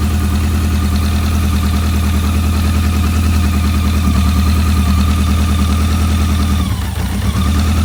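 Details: BMW K100, where a dirty #4 injector plug had caused a no-start: steady, even idle with a smooth low hum, no stumbling or hunting; running cleanly.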